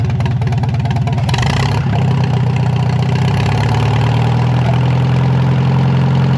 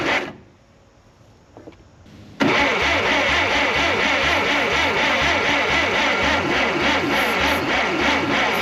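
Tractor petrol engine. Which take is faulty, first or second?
second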